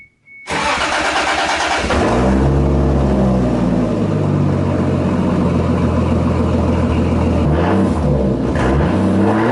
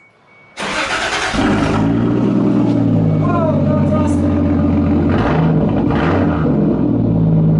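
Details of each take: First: Toyota Supra with new homemade 2.5-inch custom exhaust, first start-up: cranks and catches, loud raspy idle with puffing chuff at manifold flange and occasional sputter blamed on new mass airflow sensor; exhaust leak at the flange. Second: Toyota Supra with newly welded custom 2.5-inch exhaust: engine fires at once into a deep, steady burble with even pulse, no rattles or leaks; clean, healthy note.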